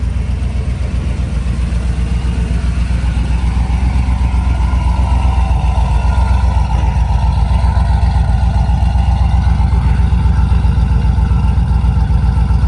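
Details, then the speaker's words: Chevy Tahoe V8 after a rebuild with a BTR V2 stage 2 cam (stock-converter compatible), LS7 lifters, long tube headers and a tune: a deep, choppy, lopey idle pulsing about four times a second that settles as the idle comes down; healthy. "Yeah, for a cam that's compatible with the stock converter, it's fairly choppy. It's pretty impressive, and it drives really well too."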